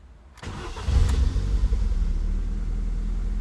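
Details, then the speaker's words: Ford Puma 1.7, bought on eBay, first start: cranks briefly, catches cleanly and settles into a steady, even idle with no knocks or misfires; sounds pretty nice. "Hey. That sounds pretty nice, actually."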